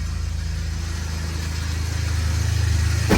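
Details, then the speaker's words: Ford Ranger daily driver on its fourth transmission, about 10 quarts fluid, not leaking, first moves under own power: steady low idle with faint rhythmic undertone from below; noise began after second transmission swap, source unknown. "There's a little bit of a noise coming from down below. That noise kind of started after we did the second transmission swap, and then the third one didn't fix it, and this is number 4."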